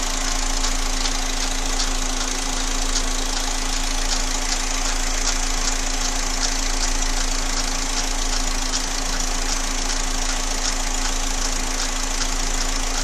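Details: Engine noise at steady idle with a light, fairly even tapping about three or four times a second; a knock whose source isn't clear yet.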